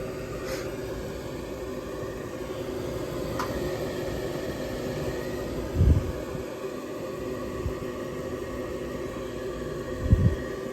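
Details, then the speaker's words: Older York gas furnace after its locked-up draft inducer was repaired: the blower comes on with a steady, even low rumble of moving air and no knocks, rattles or squeals, so the furnace is operating normally. "there's the blower coming on good stuff"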